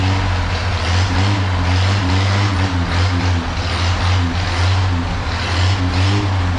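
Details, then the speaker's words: 1932 Chevy truck after tune-up, driving on short local trip: low steady drone with even pulse, no misfires or stumbles; running like it used to. "oh I love this old truck it is so much fun um yeah he's running like he used to and my confidence is back"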